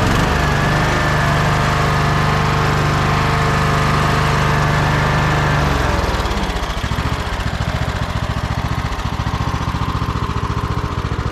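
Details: Troy-Bilt Bronco riding tractor, Kohler Courage single, after swapping in a Walbro carburetor, new spark plug and fresh fuel: runs strong and steady at speed, then drops cleanly to an even idle without hunting; healthy.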